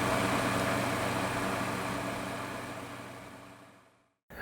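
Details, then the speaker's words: Honeywell TurboForce HT900WMD fan after cleaning dust from motor and spindle bearing guides: smooth even hum with no clicking or rattle, fading as the fan winds down, quiet as new; normal fan running. "And there we go. Silent as the day it was purchased. It sounds just like it did whenever it was brand new."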